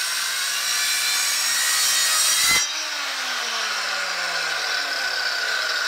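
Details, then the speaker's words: Craftsman 7-inch electric hand saw model 315.27802, rated two horsepower, with a sharp blade, cutting 2¾ x 3¼ inch white pallet oak 2¼ inches deep: steady high whine cutting cleanly without bogging, smooth wind-down; healthy saw. "now that's a nice saw a good sharp blade cut two and a quarter inches into that white oak"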